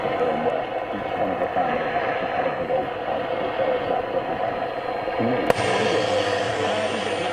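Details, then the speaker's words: Roberts R707 radio after refitting a refurbished replacement module, on long wave: a steady broadcast plays clearly with no distortion, crackle or buzz. Clean reception. "ah we have no distortion people we have no distortion the civil look it's long wave"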